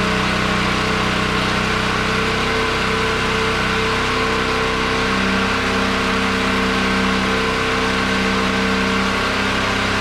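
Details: Generator weaned off propane and running on old gasoline, charging its battery from 10.9 V to about 12.5 V after a hand-crank start; constant, even drone with steady pitch, no surging or hunting under load: normal running.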